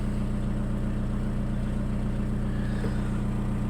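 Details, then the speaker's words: Volkswagen that clicked but wouldn't crank with a new starter; after cleaning the battery terminals and bolts it started: steady, even idle with a smooth low pulse, no misses or knocks. "Мотор працює вроде нормально без"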